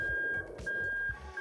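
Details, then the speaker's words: Lexus IS300 with JZ engine harness on a Syvecs S6 GP ECU, reverse switch bridged by hand: high clear beep repeating in long pulses with short gaps, reverse warning beeper working normally. "so you can see I'm just bridging it which is what your gearbox does anyway and you can hear the reverse switch beeping away over there"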